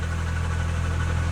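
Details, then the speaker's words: Nissan S15 at idle after all belts were replaced: a low, rapid knock-like pulse comes from the still-working AC compressor, not the engine bottom end. "Yeah, the thing that makes it sound like my engine's hurt, it's actually the AC compressor, right? So I did all the belts on the car. It's the AC compressor, which sucks because it works."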